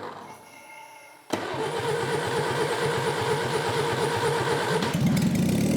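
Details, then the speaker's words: 1963 BMC 850cc classic Mini engine, about 60 years old, revived after decades in a farm shed with salvaged distributor and starter: steady cranking at about three beats per second with a few ragged firings, never running because it has no carburettor. "That's all right. There's not much because we don't have a carby, so we can't."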